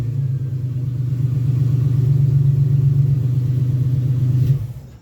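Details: 2001 Ford Ranger XLT 4.0 V6, morning cold start: steady low cranking chug about four turns a second with no catch; long crank-no-start despite new fuel pump, injectors, filter, plugs, wires, coil pack, regulator, crank and cam sensors.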